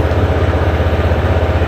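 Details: Honda Vario 160 scooter after replacing a weak battery that showed the red battery warning and was hard to start. Steady low idle with an even, smooth pulse, no misses or knocks; warning light gone, idling normally.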